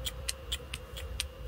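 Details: Van with a fault mechanics couldn't fix, fuel pressure regulator solenoid bench-tested on direct power: crisp light clicks about four times a second over a low hum; both solenoids actuate, yet won't click from the van's wiring despite voltage at the plug.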